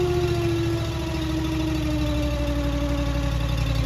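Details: Honda GX800 EFI engine on a Wolfe Ridge 35 SHO log splitter, 39.1 hours, after replacing parts damaged by a branch: settles from higher speed into a smooth, even idle with steady firing pulses, no knocks or rattles; normal.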